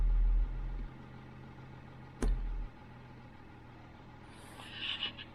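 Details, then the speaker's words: 2003 Range Rover L322 (MkIII) height adjustment fault: everything flashing as the car tries to lift. A steady low hum from the rear under a couple of thumps is likely the air suspension pump running. Car is now locked in low gear. "It's more or less like I can hear that the pump is going in the back."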